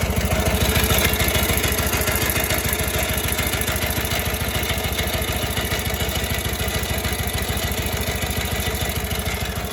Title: Harley WLA 45 Flathead strange idle sound